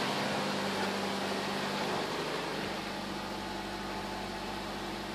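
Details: Nissan Versa on a cold start: loud hissing rush with a faint steady hum underneath, easing off over a few seconds; recurring cold-start noise, cause unknown.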